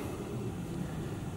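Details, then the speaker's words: VW California Ocean diesel parking heater at start-up: even low jet-like roar with no knocks or surges, louder only during initial warm-up; normal. "a bit like a jet mg all you ever look well listen to it that's only initial warm or paternally doesn't stay like that to stay noise"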